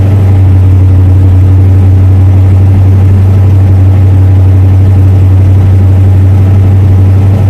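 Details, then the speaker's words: 1966 Ford Mustang V8, rebuilt about 6,000 miles ago, during track-day service and prep: steady, even low rumble with no knocks or ticks as the auto choke takes over; normal idle with good oil pressure. "the oil pressure is very good even at idle you can probably hear the auto choke is taking over a little bit she's idling"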